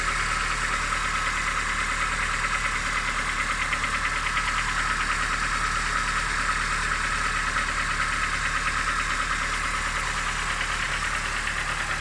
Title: Стук мотора на что это похоже?